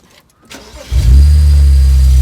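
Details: BMW 335i E91 wagon with N54 petrol engine after replacing a faulty ignition coil that caused a misfire moved to cylinder two: cranks, catches and settles into a steady, even idle with no misfire.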